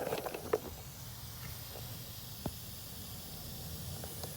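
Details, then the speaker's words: Mitsubishi Eclipse GST with freshly built engine, idling after new intake install: faint, steady airy hiss over a quiet idle causing idle surge; vacuum leak traced to a cracked old rubber vacuum port on the throttle body, to be replaced or JB Welded. "So when I did hook it up, right away I did hear a leak. I don't know if you can hear it."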